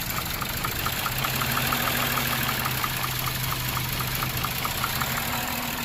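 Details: 2007 Lexus IS250 after repairing a no-start, no-crank fault and reassembly: steady idle with a light, even tick and smooth low hum, no stumbles or misses; normal idle.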